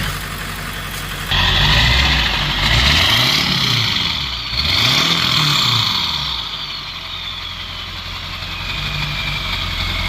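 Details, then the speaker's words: Ford F-250 7.3 Powerstroke diesel after topping up low oil: even idle clatter rising and falling cleanly with light revs while maneuvering to hook a trailer; smooth and healthy. "That thing was sounding good. Rolling some cold too for the first time I've seen."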